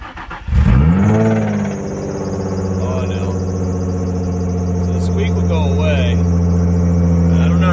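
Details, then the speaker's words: Infiniti G35 engine after a track day, cold start: catches and settles to steady idle with a light knock about three times a second underneath; owner suspects a spun bearing, not confirmed. "you guys heard that knock right off the jump. It's not good."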